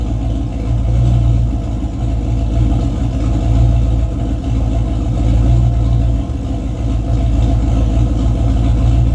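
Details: Race car with 351W V8 and transbrake, transmission newly working but only about nine quarts of fluid, not yet topped off, so driven gently without building boost; loud V8 growl under load sags with uneven dips as throttle comes in, a slight stumble, cause unknown.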